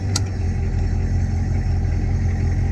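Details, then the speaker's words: 1985 Ford F-350 with 6.9 IDI diesel after installing a manual high-idle toggle switch: high idle is switched off and the engine settles to a low, steady base-idle rumble with no knocks or uneven beats. "now let's shut off the high idle ain't that cool turned on shut it off"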